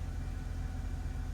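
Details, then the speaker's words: Mercedes-Benz C240 after fuel pump replacement fixed a crank-no-start, first start; low even rumble holding steady, no stumble or tick; normal idle. "RPMs are good. Holding steady. Everything looks good."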